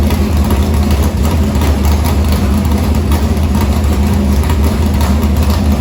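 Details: Harris race car's Morgan Machine-built open V8 (speaker thinks ~358 ci) with EQ heads, Edelbrock Victor Jr two-barrel intake and 85 carburetor, started after fuel line was reconnected; deep, steady, lumpy even idle, no knocks or ticks, normal idle.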